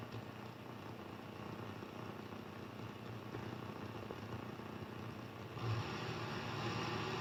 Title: Strange noise over the entire HF with the exception of amateur bands.